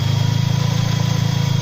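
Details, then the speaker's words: Mercedes SLK 230 Kompressor, M111 engine converted from supercharger to turbo, at start-up: smooth, even idle with no rattle or tapping, before a hydraulic tensioner damper rattle that mimics a camshaft actuator fault is shown. "beautiful runs like a dream"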